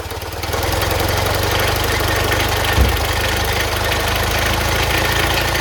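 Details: Classic Fiat 500 air-cooled engine run from a jerry can after electrical repairs: catches and settles into a steady, even chug with no misses or knocks; oil pressure and charging lights out, running normally.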